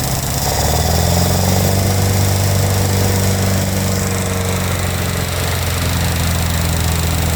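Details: International Harvester Scout 80 barn find (1961/1964) that sat for years, fed gasoline, on choke. Steady low idle at about three and a half beats a second with a slightly uneven pulse; runs rough after long storage.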